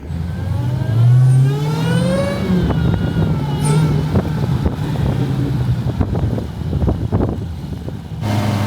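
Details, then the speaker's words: Dodge Challenger Hellcat SRT after a crash rebuild with the engine reinstalled and the chassis straightened, driven without doors: the V8 climbs smoothly through the revs with a strong note and clean off-throttle crackles, so the engine is healthy. "Guys, listen to that, it sounds so good."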